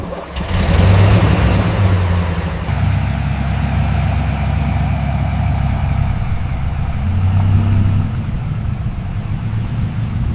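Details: 1942 GMC 6x6 WWII military truck, running after full restoration from an abandoned, rusted state: deep low rumble with a couple of throttle blips, steady and even with no knocks; sounds healthy.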